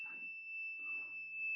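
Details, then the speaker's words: 1999 Volvo Penta 5.0 GI MEFI 3 marine ECM, engine reportedly running very rich: steady high-pitched tone when power is switched off, pointing to an internal fault in injector driver one. "that is and injector driver one and that is as you can see it's dimming out that green right there is Demi now diminal diminality now and he's not there so I think that we might have a problem internally"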